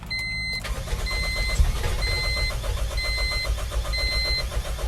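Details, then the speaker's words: 1997 Honda CR-V after pressure washing the engine, with spark being checked: starter cranks steadily around 220 beats a minute under a repeating chime, but the engine never catches; cranks, no start. "no it's not starting"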